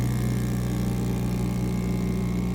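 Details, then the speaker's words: Mini 3D vacuum heat press (sublimation) with the vacuum pump running after its 20-second delay, pulling to 0.06 PA: steady, even low hum with no knocks, surges or rattles. Normal running; a beep signals the process is over. "you can see the power of the vacuum pump going to 0.06 PA when you hear the beep the process is over"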